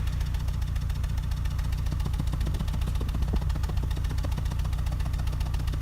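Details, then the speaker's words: 1999 Ford Contour engine at idle after replacing the faulty coil pack that caused a misfire and check engine light; steady low exhaust thrum with an even pulse, no skips or stumbles. "and you can also tell if it's misfiring or not from the exhaust pulses so here you hear a very you hear a very even exhaust pulse"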